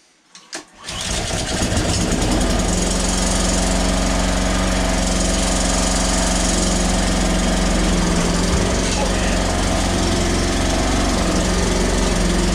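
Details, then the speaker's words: Honda HRX476 mower after repairing self-propel drive that suddenly stopped, tested on choke: a couple of pulls, then catches into a fast steady even drone, no stumbles; drive works as it should. "Drives exactly as it should do, so super"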